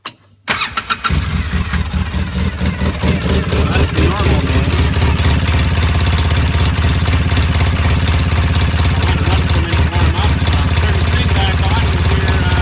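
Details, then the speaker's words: Engine cold start before warm-up: cranks, catches within a second and settles into an even, steady low rumble; normal start and rev, though it later gets loud and backfires once warm. "Regular noise rev. Sounds pretty good."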